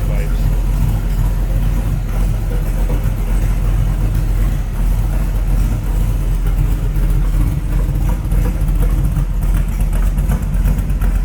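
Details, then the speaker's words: 1966 Shelby Cobra replica, chromed 302 V8, warmed up at low idle, heard from the engine compartment: deep steady burbling rumble, no misses, knocks or ticks. Normal idle. "Beautiful rumble out of that 302. Come up here and look at how nice this is. Chromed out. Very nice install. 302 under there. Great sounding car"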